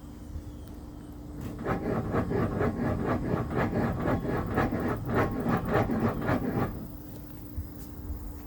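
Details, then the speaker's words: 2014 Ford Taurus electric power steering (EPAS), engine off, turning wheel: gritty scraping rasp about four times a second, felt in steering wheel, every turn, no codes; worn, rusty steering rack bearings. Power steering rack bearing scrape. "you can feel it in the steering wheel as well like it's something scraping"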